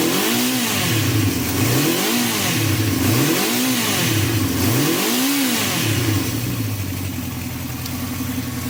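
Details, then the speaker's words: Honda CB350 running without choke after carb cleaning and refitting, before carb balancing, idle set to just over "12200" as stated. Throttle blips rise and fall unevenly with a slight splutter; unbalanced carburettors. "so this is what it sounds like before balance and I've got the idle set to just over 12200"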